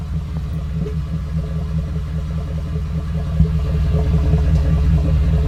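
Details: 2014 Ford F-150 5.0, 54,000 miles, ticking since about 52,000 that worsened, now rough idle after a dealer visit: low uneven idle rumble with light tick two or three times a second; cause unknown.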